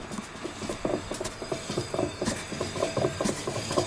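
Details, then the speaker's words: 2014 Jeep Wrangler Rubicon JK, Dana 44 front axle. Irregular clicks and clunks, about three a second, as front right wheel is rocked back and forth. Cause: badly worn front passenger-side axle u-joint, due for replacement. "All right, so that U-joint is about to blow, so before it does, I've got to replace it."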